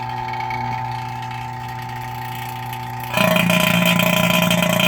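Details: Cheap vacuum pump evacuating the A/C on a 2017 CLAAS Lexion 740 combine after compressor replacement: steady hum turns louder and harsher with rising hiss when the lid is opened; error source unclear, owner suspects humidity or moisture, though vacuum test passed.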